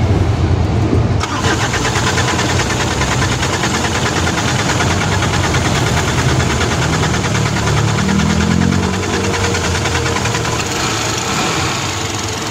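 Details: Isuzu Elf with 4M50 diesel engine, hard start: long, even cranking over twelve seconds with only a faint attempt to catch; scanner showed engine revolution sensor and rail pressure codes, injector return checked fine, traced to faulty crankshaft position sensor near the transmission.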